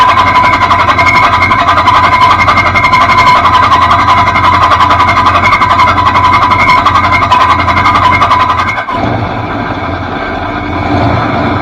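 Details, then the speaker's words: 1966 Ford Fairlane GTA with new flywheel: rapid metallic ringing clatter over cranking and running as the starter pinion strikes flywheel teeth; grinding and shimming failed, believed wrong starter, replaced with new one. "We tried to grind it down. We tried to shim it. We kept getting it either to lock up or it kept tinging off of that brand new flywheel you see there."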